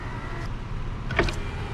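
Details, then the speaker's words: Car, power window run down and up via switches: low even electric motor hum with a soft clunk as the glass moves; window works normally, though owner says the back window sometimes sticks. "if i press this button the window goes down and stops if i press both of these switch both of these up and press it again the window goes up"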